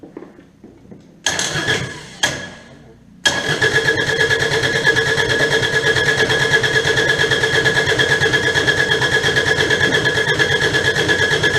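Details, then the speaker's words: Kubota D722 diesel after pump install: cranks, catches and settles into a steady clatter with a slightly uneven beat; one dead cylinder, leak-down shows a leaking valve, intake suspected, not confirmed. "because this cylinder here this cylinder and this cylinder they were the only ones firing this one was the Dead one"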